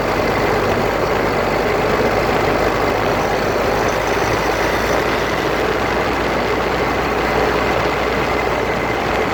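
Steady coarse grinding roar under a constant drone while driving, no knock rhythm; a grinding noise coming from the front differential area.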